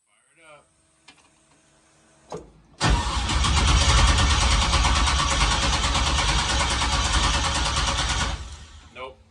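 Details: 1965 Chevy Nova on first start attempt after TPS reset: steady even cranking about six seconds at a quick regular beat but never catches; fuel pump not heard, cause suspected, not confirmed.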